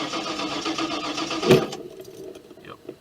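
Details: Ford Econoline van that died while driving, restarted briefly, now won't start; fuel pump circuit breaker already reset: starter turns over steadily about a second and a half without firing; owner suspects fuel pump, unconfirmed.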